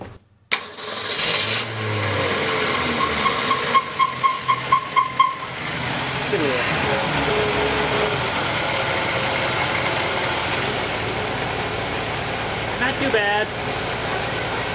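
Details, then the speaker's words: Straight-six engine with an Autolite 1100 carburetor, choke mostly closing, just started: it settles into a steady idle with a light, regular ticking from one spot on the engine, suspected to be valve clicking. "so we're pretty sure that's the valve clicking sound yeah because you can hear it coming from right here"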